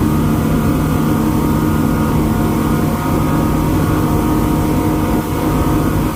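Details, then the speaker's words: Twin Yamaha V8 outboards on a Pursuit 345 Offshore pulling hard on a sea trial, with wind and water noise: a deep, smooth, constant roar with no misfire or stumble; normal running under acceleration. "well it's definitely running good i love the sound of those v8s they sound good yamaha's always have a good distinct sound to them"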